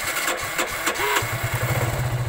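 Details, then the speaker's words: Kawasaki Aura Nexus motorcycle after a DIY fix of its loose clutch housing rubber damper, which had caused loud clattering: the starter whirs briefly, then the engine fires into a steady, even low thump with no clutch-side rattle. Normal start and idle. "So ayun aandar na siya. Yan. So okay na siya."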